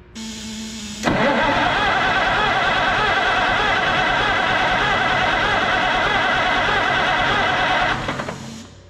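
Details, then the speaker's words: Oliver 880 tractor unrun about 23 years, barn-stored, with freshly filed points and new condenser: starter cranks steadily about seven seconds but never fires; no spark, owner considers cleaning again or fitting new points. "nothing what in the word wild wild world of sports is going on here [Music] okay we'll clean it again i might have to really break down and just put a set of points in it"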